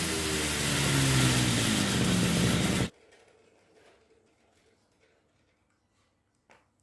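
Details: RBC411 two-stroke brush cutter, after straightening the bent blade tip that caused shaking: even buzz at high revs for about three seconds, then cuts off, no shaking rattle; normal running.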